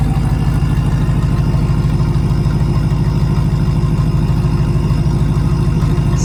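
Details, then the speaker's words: Supercharged Hemi V8 in a Mega Cab truck idling at cold start after plugs were re-gapped tighter for a multiple-cylinder misfire. Short high idle, then a deep, even, smooth burble with no misses or knocks. Normal cold-start idle. "Super tame right now. When it first starts, it actually sounds super tame. It doesn't do that high idle as long. It just sits here and chills, you know, and it's just calm."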